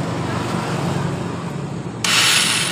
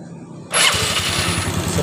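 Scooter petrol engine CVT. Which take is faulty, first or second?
first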